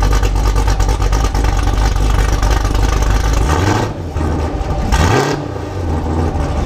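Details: Modified 2019 Camaro SS V8 (tuned, Stage 3 cam, headers, catless X-pipe, E85, nitrous) on two-step at 2500 rpm: a deep, rough V8 held against the limiter with crackling exhaust pops, revs dropping and rebuilding. Healthy limiter pops.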